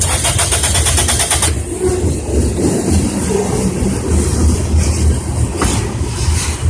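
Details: 2002 Toyota Corolla LE crank no start: quick even starter cranking about a second and a half, then cuts out without catching; owner suspects the fuel pump quit, not confirmed.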